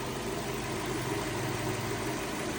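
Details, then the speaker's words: 2002 Lexus LS430 V8 idling, previously squeaking from a bearing in the rebuilt alternator or elsewhere, replacement alternator due: quiet, steady, low idle with no squeak or chirp after the part cooled or warmed; normal idle. "Absolutely quiet. So, the bearing in either the alternator or whatever else it is has had a time to cool down or warm up. So, stop squeaking."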